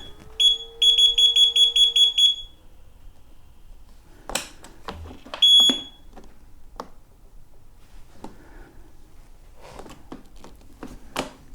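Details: KingSong KS18XL electric unicycle just after firmware 2.0 update, switched on: about eight rapid sharp high beeps then a single beep; needed recalibration, motor whine reportedly gone.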